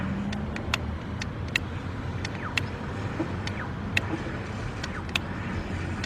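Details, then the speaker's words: 2006 Nissan Altima that stalled on the highway and now cranks but won't start; with the fuel pump jumped by power probe, irregular sharp ticks and clicks over a rough buzzing hum, then it sounds better; mechanic suspects something loose inside. Noisy fuel pump. "That sounds really messed up. You hear that? Now that sounds better, but it did not sound good at all. So I'm wondering if something loose in there."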